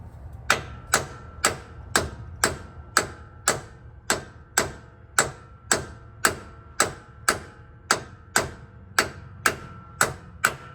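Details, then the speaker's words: 1998 Ford F-150 rear axle, bearing repair kit (O-ring toward the inside) driven into the axle tube with hammer taps around the edge: sharp ringing strikes about once a second, with the note changing once the bearing is fully seated. "all right you hear the difference it's in all the way now"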